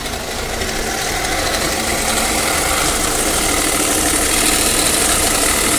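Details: New-version Tata Safari diesel, customer complaint of loud noise from the engine after starting: loud idle with a fast metallic rattle growing over a few seconds, traced to a failed alternator overrunning clutch pulley.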